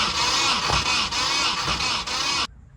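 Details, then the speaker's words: Nissan 240 (S-chassis) KA engine needing a rebuild, cranking on the starter during a compression test on cylinder 2 (about 97 psi; cylinder 1 read 0 psi): lazy, uneven crank about three beats a second; low compression. "So as of right now, I tried on cylinder 1, 0 PSI, no compression. Right now we're sitting at about, I'd say 97. And that's on cylinder 2."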